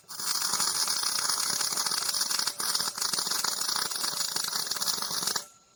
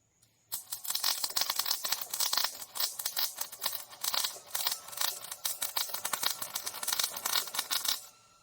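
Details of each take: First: MIG welding on a trailer main frame repair, with the welder turned up to 54. A nice, steady, even frying crackle lasts about five seconds and then cuts off cleanly: a stable arc, and the weld looks good. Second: MIG welding trailer main frame in 40.5°C heat, fan possibly blowing shielding gas away: arc spits in choppy, irregular crackling bursts instead of a smooth sizzle; not enough wire feed, being turned up to 54.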